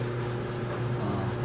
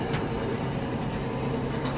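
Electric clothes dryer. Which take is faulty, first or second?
second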